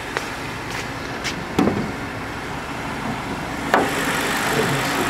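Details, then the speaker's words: 2010 BMW 550i M-Sport V8 with a rebuilt title: soft, steady idle hum with no knocks, ticks or squeals and no engine smoke; healthy engine. "condition as you can hear there are no weird noises sounds great no engine smoke whatsoever"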